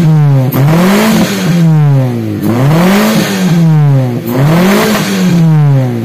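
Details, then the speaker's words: Daihatsu Taruna EFI after tune-up and idle screw adjustment; exhaust with sharp throttle blips, revs climbing cleanly and dropping quickly back to steady idle without earlier shaking; responsive, AFR could still be refined. "Mantap guys, turunnya lebih cepet yo, lebih cepet, bisa langsung nek wong Jawa langsung mingkem yo, karena banyak settingan yang masih bisa kita rubah gitu yo."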